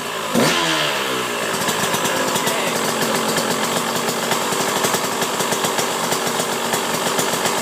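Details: 2009 KTM 125 SX two-stroke, first start after a top-end rebuild with a KTM OEM top end, on choke, camera on the ground beneath: fires on the first kick into a crisp, steady ring-ding idle with no rattles; healthy.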